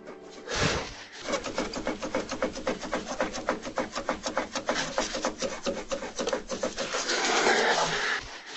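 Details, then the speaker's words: Ford Galaxy (Sharan/Alhambra platform) on a stand, hanging wheel rocked up and down by hand; rapid dull knocking, three or four a second, from a worn sway bar link, also heard over small bumps. "Всем привет значит звук проявляется на ямках на мелких То есть когда машина качается вот так туда-сюда вот сама тяга разбивается здесь внутри пластика или что там я не знаю"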